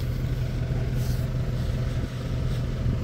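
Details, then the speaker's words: Hemi V8 after refilling with 5 gallons of fresh gasoline to replace suspected bad fuel, new air filter: starts right up and idles with a steady, deep, even low rumble, a healthy idle. "ght here we go guys started right up idle's great sounds good"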